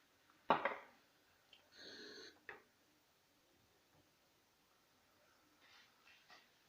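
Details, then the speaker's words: Italian stovetop moka pot on the fire: a quiet room, then short hissing, gurgling spurts about a second long as the pot spits steam with almost no water left, so the brew is done. "You can hear the noise that indicates that there is almost no water left. So it's ready."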